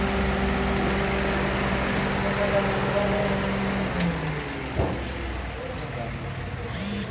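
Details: 2003 Mitsubishi Lancer with CVT: engine cranks steadily at about three and a half turns a second but won't start. Cause: crankshaft position sensor malfunction, bank 2 low circuit input.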